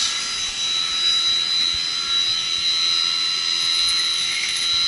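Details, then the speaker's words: Chilled water pump in a chiller plant during maintenance: steady, even hiss and whir with a constant high whine and no knocks, rubs or surging. The pump is running normally and sounds healthy. "he's a chilled water pumps don't you just love the sound that uh pump"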